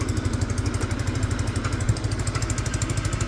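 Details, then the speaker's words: Peugeot Tweet scooter with a newly fitted ignition, run on a power pack: the small single putters at an even, steady beat with no knocks or rattles, idling cleanly and sounding healthy. The horn and indicators don't work. "the engine sounds good"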